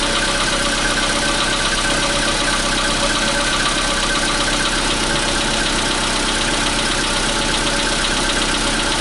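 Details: 2015 Volkswagen Polo Sedan, CFNA engine, cold start at 0 °C air temperature: a busy cold idle with a fast, fairly even clatter mixed into the running; cold-start knock, cause unknown.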